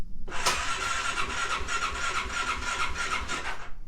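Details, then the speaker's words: Aprilia Atlantic 500 scooter, 650 miles, sitting over ten years, new battery: starter whirs and turns the engine over in steady pulses but it never catches; fuel pump not running at key-on, relay clicking. "but the fuel pump is not cycling"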